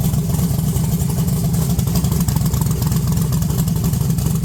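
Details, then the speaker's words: 1982 Chevrolet S10 V8, fresh transmission fluid and water, 60 psi oil pressure, low vacuum with no high idle, revved in a shop: ragged stumbling exhaust beat breaking up right off throttle; bad misfire, owner suspects a bad wire. "right off throttle it it goes like it's misfiring really bad whenever you rev It Up um never done that before"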